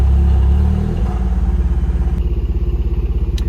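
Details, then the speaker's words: Engine revved after no fault codes were found: it won't rev and falls into an uneven, pulsing chug about three beats a second, like running on two cylinders, and vacuum drops; no misfires logged, lambda control maxed lean, injector issue suspected. "uple cylinders if you can hear that let's go in here it is not recognizing any misfires but we definitely are only running on like two cylinders actually kind of sounds like the injectors went down more than the spark"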